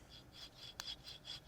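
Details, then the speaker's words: Car raised on a lift with the wheel spun by hand: faint, gritty grinding about four times a second from a worn integral one-piece wheel bearing that is starting to eat away; the other wheel spins quietly. "and just that grinding right there that's not good that means that that bearing's starting to eat away that's a wheel bearing"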